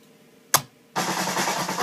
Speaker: so that little crisp popping M at the beginning is what's throwing me off anybody else have that